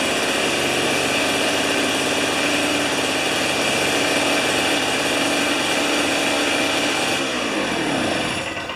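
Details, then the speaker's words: Old two-stroke snow thrower, sat for years with old fuel, spark confirmed, RJ19LM plug. Primed with carburetor cleaner through the plug hole, it holds a high buzzy note about seven seconds, then sags and dies as the prime runs out. "Well, that's pretty cool. It ran longer. It ran longer than it should have for the small amount of carburetor spray I poured in there."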